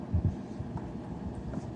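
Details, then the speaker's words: E-bike charger whose fan squeals when cold, previously greased with lithium grease, now re-oiled with 3-in-1 oil; plugged in to the battery it gives only a soft, steady low hum with no squeal or scrape, the fan spinning freely and quietly. "put on the battery dead quiet it wasn't that good even when uh when it was brand new"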